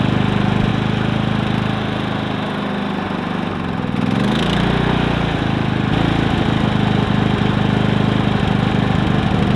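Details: Predator 3500 inverter generator, 18 hours run time, earlier stumbling, suspected clogged spark arrestor: restarted with arrestor removed, small engine settles into steady even running without surging or stumbling.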